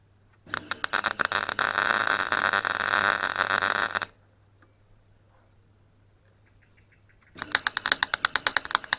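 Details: Clarke Pro 90 MIG welder, a beginner tacking and seaming a sheet-metal corner joint: a crackling arc turns choppy with irregular pops instead of a steady sizzle, then stops. The weld starts to sputter, so the welder stops.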